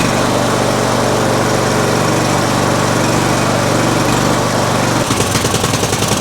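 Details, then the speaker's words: Murray Select riding mower, 13.5 hp Briggs & Stratton single, just after a new starter solenoid, choke held shut by hand. Steady drone that wavers near the end: surging idle. A new carburetor is planned. "So it runs now. Definitely got a surging idle."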